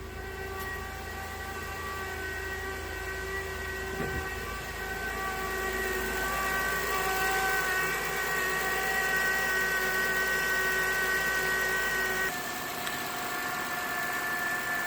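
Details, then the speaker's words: 2012 Acura TL technology package, 102,000 miles, idling, heard at the engine front (louder inside the car): constant high, airy whine over the engine, steady pitch; worn alternator bearing. "But that's the alternator. That's the bearing that usually goes bad, and it starts making that kind of weird whiny noise."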